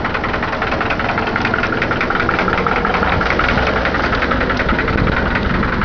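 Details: Caravan 4-cylinder, first start of the day: regular tapping knock about two to three per second over the idle; origin unknown, owner asking for help.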